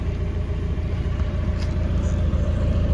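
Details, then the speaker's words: 1994 Mazda Miata rolling after winter storage: rhythmic low slapping rub from one wheel keeping pace with speed, caused by a glue trap it ran over, stuck in the wheel well. "what is that noise hold up something ain't right what am i running over something ain't right okay we caught something we caught a miata and ran over a glue trap"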